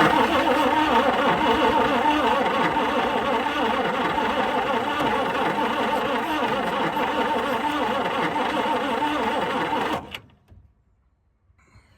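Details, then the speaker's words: 1960 Chrysler Saratoga 383, not run for 39 years since a mid-1980s crash, with gas poured in: about ten seconds of steady starter churn at roughly three turns a second that never catches; cranks but won't start. "this is thirsty man I'm almost out starter's not smelling good can I just have like a real fart just one fart come on really"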